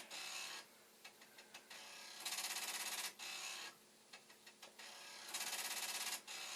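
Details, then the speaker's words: Commodore 1541 disk drive after head stop adjustment and a speed tweak: rapid hard clattering bursts alternating with quieter ticking; the head banging its stop on failed reads. Cause suspected, not confirmed. "I did, just for a moment there, tweak the speed, and if the drive wasn't doing its head banging, you might have been able to hear it."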